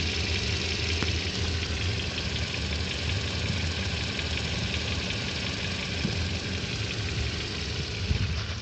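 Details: 2014 Toyota engine at 40,000 km, idling: faint light ticking knock with a few sharper taps; dealer says it is normal, knock source unclear.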